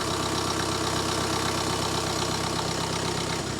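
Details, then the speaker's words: BMW 118d E87 diesel after replacing the glow plug control module for fault codes 4A6E, 4A5E and 4690, stone-cold engine on a very cold day: even clatter at steady idle, no misfire or judder; normal idle. "Well, that's great news. That has just fired straight up with no juddering. It's a really cold day, the engine was stone cold."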